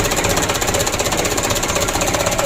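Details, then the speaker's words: 2007 Mitsubishi Canter diesel after full engine rebuild (had been blowing by and burning oil), first start before adjustment: fast, even diesel clatter with regular pulses, no misses or knocks; idle shakes, so idle rpm raised slightly. Normal running. "oke Ya alhamdulillah untuk mesinnya sudah hidup tak ini awal hidup saya"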